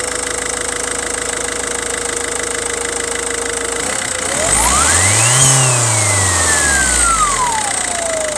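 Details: 2006 Volvo V50 1.6 turbodiesel: a steady high whine or howl over the idle climbs sharply in pitch as the engine revs, then falls back; the turbo hoses were mostly inspected and the source remains unlocated.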